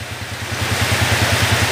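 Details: 2010 Honda TMX155 motorcycle, after adjustment for engine noise: an even, steady single-cylinder thump at idle with no ticking or knocking, after an earlier rattle traced to the exhaust; normal idle.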